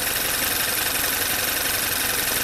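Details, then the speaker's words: Direct-injected VW turbo GDI after high-pressure fuel pump replacement and an oil change (crankcase was full of gasoline): first start idles shaky and uneven under a loud hiss, a misfire. "Well, it started. Ooh, a little shaky there."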